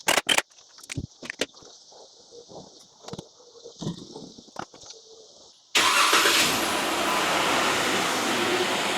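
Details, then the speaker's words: Jeep Wrangler JK 3.6 liter at idle after replacing idler pulley and thermostat: starter clicks, catches, settles into steady idle with no more belt squeal from the front belt drive; normal belt drive. "And guys, hopefully you can hear the difference now with our new idler pulley, or at least the lack of screaming from that belt drive on the front of this 3.6 liter. So we're nice and quiet now, and we've got a good known thermostat that's not gonna stick closed and absolutely smoke this motor out on the highway."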